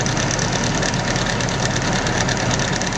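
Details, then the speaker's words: Nissan 240SX S14 KA24DE engine before the fix: busy idle with fast dry metallic chatter over the engine note; the common timing chain rattle. "I'm sure you guys have experienced this specific quote-unquote rattle coming from your motor and thinking, oh god, this is not good, motor's about to blow up."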